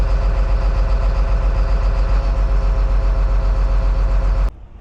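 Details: John Deere 724J loader common-rail diesel: rough idle with an uneven, stumbling beat about 220 a minute, then shut off; one cylinder, number two, seems to be missing, with wiring suspected but unconfirmed.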